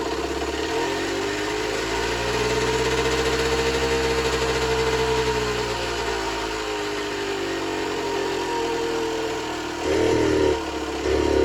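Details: Generic Trigger SM 50cc two-stroke on a temporary fuel tub with a stiff old throttle cable: uneven burbling idle, pitch drifting and stumbling. Rough idle; owner suspects an air leak, later found around the intake manifold, plus blocked main and pilot jets.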